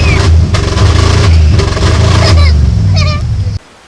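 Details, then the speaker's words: Ford van that had a no-start, now running after pulling a wire from a burnt cigarette-lighter fuse: revving hard, sharp pops and cracks through the rising drone when floored; backfires under full throttle, cause unknown. "the only other thing it does wrong is when you try to punch it clear the floor it'll backfire kind"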